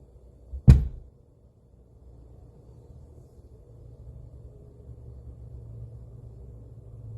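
One sharp bang near the start, then only a faint low hum; an intermittent thump from the amplifier, cause unknown.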